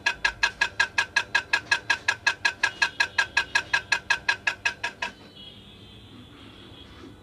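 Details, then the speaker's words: Ceiling fan running makes a sharp, even ticking almost three a second that stops the moment power is cut. "সমস্যা হলো ceiling fan যখন চালু হয় তখন আওয়াজ হতে থাকে, নয়েজ হতে থাকে এবং যখন পাওয়ার সাপ্লাই অফ করা হয় তখন নয়েজ বন্ধ হয়ে যায়।"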